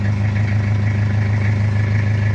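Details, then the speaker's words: Toyota Kijang diesel after cracked-block and welded oil-passage repair with thermostat fitted, partly warm: steady deep even idle, no knocks or rattles, clean smoke with water vapour; repair finished, ready for handover, idle rpm a bit high. "Oke ini udah selesai suaranya agak adem kalau udah agak panas tapi temperatur masih DJ jadi ini sudah siap untuk di serah terima"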